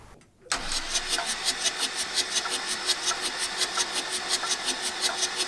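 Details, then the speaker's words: 1984 VW T3 single cab, 1.6 diesel, long unused junkyard truck; starter cranks in even rapid beats, about four a second, never catching; fuel confirmed at injectors, owner suspects low compression, broken pistons or blown rings. "there was definitely fuel coming out of these so that's not our issue so the next next testing to test out is the look for a compression if it has any and after that we need to take off the head and look for any damage"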